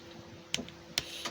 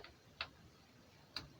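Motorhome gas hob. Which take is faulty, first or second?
second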